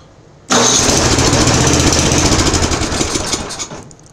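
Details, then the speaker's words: Murray Pro two-stage snow blower, 10 hp Tecumseh, sat several years, primed with choke and two-thirds throttle: catches sharply, runs rough about three seconds, then dies; carburetor not pulling fuel, needs overhaul. "all right so we have an issue with the carburetor it's not it's not pulling fuel through the carburetor if i prime the living bejebus out of it it'll fire but it's not going to stay running"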